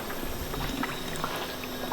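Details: Honda Civic Si, head gasket already replaced to factory torque specs, head suspected warped: irregular gurgling and popping bubbles in the pressurised coolant as combustion gas leaks into the cooling system; combustion leak, warped head/head gasket diagnosis.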